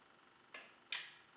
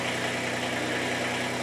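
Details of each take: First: Kubota BX25 diesel, warmed up, glow plugs on, with hard-start/extended-crank problem: engine off, two sharp clicks as throttle is advanced past a point, fuel shutoff solenoid pulling in; engine then fires. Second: Warmed-up Kubota BX25 diesel tractor after replacing the fuel shut-off solenoid, which had caused an extended crank unless the throttle was advanced: now it starts without touching the throttle and settles into a steady, even idle with no hunting or misses, then shuts down.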